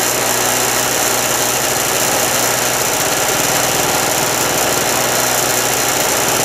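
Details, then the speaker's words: Harbor Freight mini generator, previously flooded after storage with fuel valve left open: engine runs at steady, even buzz, no misses or surging, powering an electric heater; normal running. "I'm going to let this thing run till it runs out of gas I got my little electric heater plugged in there thing will uh it will run that electricator"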